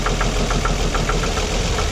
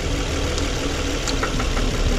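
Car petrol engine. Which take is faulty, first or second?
first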